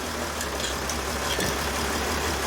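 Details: 2013 Mercedes Sprinter 3.0L diesel, codes P0301/P16C200, running rough with power loss: a lumpy, uneven idle beat under a steady rumble, engine shaking like crazy, from a misfiring cylinder. Lab scope checks of injector current and fuel rail pressure are underway.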